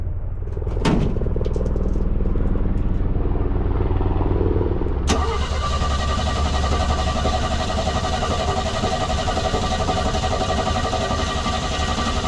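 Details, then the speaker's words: 1965 Chevy C10 V8 with old carburetor after sitting about 6 hours on a chilly day: starter churns about four seconds before catching into a rough idle; slow cold start, cause suspected, not confirmed. "So, that's after the truck sat for about 6 hours on a chilly day."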